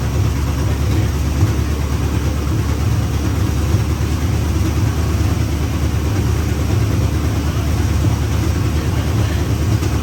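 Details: 1956 Chevrolet Bel Air 265 V8, freed from seizure, second-ever start: deep loud idle with raspy chuffing beat; massive exhaust leak, header gaskets shot, one side lacks a gasket between header and cherry bomb.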